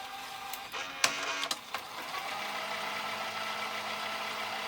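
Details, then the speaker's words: Sony SLV-676UC VHS VCR: a few sharp clicks, then a steady whirring drone from the transport. The mechanism is noisy, seems not to detect the tape, and gives no picture and only a brief whisper of sound. "Come on. Nope. Boy, noisy little bugger, isn't it?"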